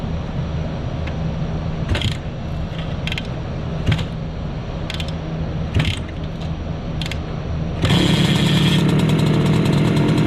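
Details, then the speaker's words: Bultaco Metralla two-stroke street motorcycle warming up, then ridden through second and third gear after choke off: crisp even crackle with blips on gear changes, then strong steady pull, only a small headlight rattle; normal two-stroke running. "and it takes some time to warm up"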